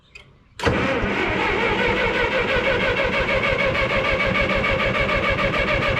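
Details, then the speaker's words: 1954 Minneapolis Moline UBU tractor after tune-up (plugs, wires, cap, rotor, points, condenser, carb clean, timing), choke out: steady cranking about three beats a second that never catches; no-start, owner suspects a piece off the points touching something. "Okay, I think I got it figured out. That little thing off from the off the points was touching the,"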